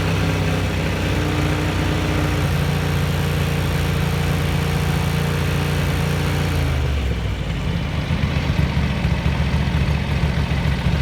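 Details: 1983 Ducati MHR bevel-drive twin, 40mm Dellorto carburettors after vacuum-gauge balancing, idle being backed off: steady, even idle with smooth low beat settling a little lower near the end; nicely balanced, normal.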